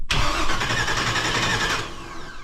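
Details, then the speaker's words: V8-swapped mini truck, first start attempt with a temporary exhaust: the starter churns the V8 steadily under two seconds without firing. No spark, possibly missing spark plugs; fuel also pouring from a loose clamp at the fuel filter. "sounds good yeah oh didn't leave it to the we ain't got no spark did I put spark plugs in it"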